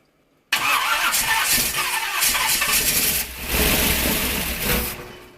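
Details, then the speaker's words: 1951 Dodge Wayfarer lead sled with big-block Chevy engine, first start after sitting a few years: catches at once, loud even roar about five seconds before dying off. Normal start after long storage. "uh that engine certainly was running a lot better than i expected it to uh even though it was only running for a second"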